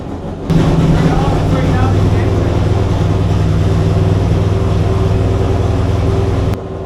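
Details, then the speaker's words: Chrysler 440 Six Pack V8 with rebuilt triple carbs, not yet warmed up: loud, lumpy low rumble stumbling unevenly at idle; rough idle, later found four cylinders not firing, cause unknown. "but now the engine is running badly once again"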